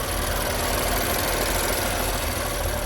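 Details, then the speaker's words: 2019 BMW M4 3.0L twin-turbo idling, heard at the open engine bay. A faint, light ticking sits over a steady idle; the car otherwise runs fine and the source is unknown. "sounds weird i don't know if that's supposed to sound like that like a little ticking if you can hear it"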